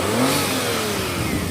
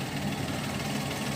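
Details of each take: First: Daihatsu Naked Turbo 4WD automatic kei car after a jump start, low on gas, throttle held so it won't die: revs waver and sag rather than settling; struggling idle, owner thinks battery is badly depleted. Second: Daihatsu Naked turbo 4WD automatic kei car, recorded from underneath while running: quiet, even idle with steady low hum and no knocks or ticks; engine running normally.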